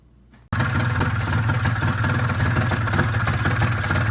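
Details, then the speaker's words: Arctic Cat ZR 440 two-stroke, first start after rebuild on straight gas with the oil pump feeding; it started first pull after sitting half an hour, then settles into a slow, lumpy, uneven idle that is set too low and needs turning up. "She's idling way too low still. started up first pull after sitting half an hour."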